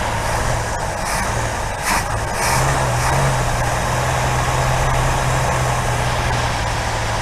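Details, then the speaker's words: 1964 Buick Riviera, just fired up on primed chainsaw gas, idling before tuning: a low, uneven idle that wavers and stumbles. Rough idle from ignition points dwell at about 40 when spec is 30. "Really out of tune, so now I'm going to spend some time tuning it. So the dwell on this was about 40, way off, supposed to be 30."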